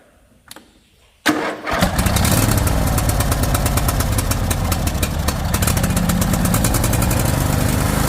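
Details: Used replacement engine just fitted to a John Deere LA145 mower, on choke with a jury-rigged battery; starter cranks briefly, then the single catches and settles into a steady, even rapid chug; normal start and idle.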